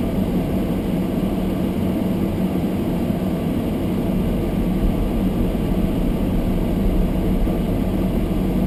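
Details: Almost-new Toyota Prius hybrid in below-freezing weather with fogged windows: windscreen demister fan flat out, steady even whoosh with low rumble underneath; camera close makes it sound louder than it is; normal.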